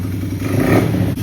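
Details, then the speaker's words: GPX 110cc single-cylinder dirt bike (Pister Pro) after carburetor cleaning and idle-screw adjustment: low, steady thump holding speed without stumbling, no bog on throttle; normal idle. "That seems to be a pretty good idle. And it doesn't bog down when you go to throttle."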